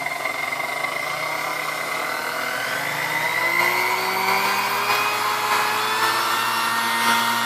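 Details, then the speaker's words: Chrome Sunbeam Mixmaster Model 12 motor during servicing, steady whine creeping upward in pitch; speed range goes just past 10, so the speed control needs adjusting. "So it sounds like it needs a little bit of adjustment here."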